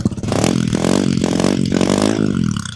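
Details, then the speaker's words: 2022 Honda CRF300L with newly fitted Yoshimura RS-4 full exhaust, first start: a deep, full note rises and settles to a steady, healthy idle; the only rattle heard is the license plate. "So it starts. Oh, that sounds. Oh, that sounds good. It sounds rattling, but It's the it's a license plate."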